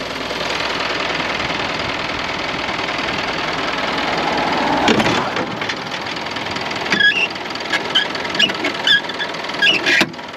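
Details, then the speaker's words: 6-ton truck diesel, 427,000 km, oil checked, idling: even unchanging idle with no knocking or rattles, a few light chirps and clicks near the end, no funny noises; normal idle. "let's see if we' got any smoke look at that guys no funny noises or anything let's see how she [Music] runs"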